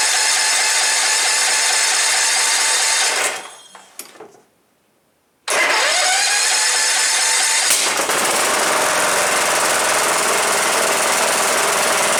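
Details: Cub Cadet LTX 1045 lawn tractor, engine previously knocking, after counterbalance repair, fresh oil and battery: cranks, pauses briefly, then fires and settles into a steady even run with no knock; engine runs normally.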